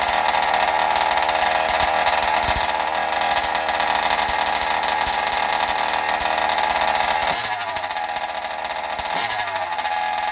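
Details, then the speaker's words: Zenoah G320 two-stroke in Losi 5IVE T during break-in: high raspy buzz dips and softens partway as the carb is deliberately richened for more oil, still running steadily; rich break-in mixture. "Okay, so as you can hear, it's actually getting a little bit softer. That's on purpose here. I'm trying to fatten it up a little bit to get a little more oil in there as I do the break-in here."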